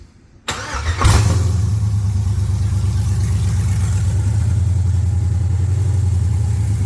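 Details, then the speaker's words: 1979 Camaro with an LS swap, restarted after clearing codes at 158 degrees: a quick crank, then it catches at once into a deep, steady V8 idle with no misses or knocks; throttle blade screw still needs adjusting. Normal start and idle. "There we go. Perfecto now. I need to turn the throttle body blade screw back up a little, but that's it."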